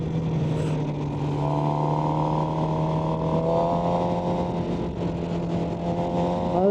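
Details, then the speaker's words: 2011/2012 Suzuki GSX-R750 while riding: a steady droning hum with higher tones layered over it, an annoying resonance whose source is not pinned down, on an otherwise pleasing bike. "C'est c'est vraiment une bonne surprise à tous les niveaux, voyez, il y a juste vraiment cette résonnance qui est agaçante."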